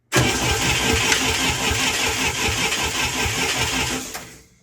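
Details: International Scout 800A, sat in a barn for years, during compression test (about 94–115 psi): steady starter cranking about three beats a second for four seconds without firing; engine cranking.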